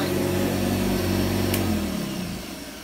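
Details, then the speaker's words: Vintage 1985 Hoover Commercial U7008 upright vacuum at first run after unboxing; steady, even motor hum with a low drone, winding down smoothly at switch-off, very quiet. Running normally. "Runs good. It's very quiet, I have to say, very quiet. Quieter than a normal senior actually."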